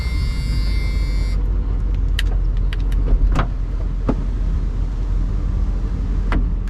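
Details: 1983 Mercedes 500SEC, gray-market import, idling with the sunroof operated: short, even electric motor whir that stops cleanly, then a few light clicks. The sunroof works normally.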